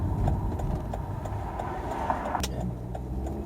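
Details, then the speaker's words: Volvo XC90 T5 after misfire repair: even, steady idle with a soft regular tick and no stumbles or dropouts, firing cleanly; normal idle, no more misfire. "No more Missfire. Imagine that."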